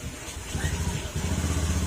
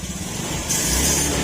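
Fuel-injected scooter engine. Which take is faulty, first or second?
second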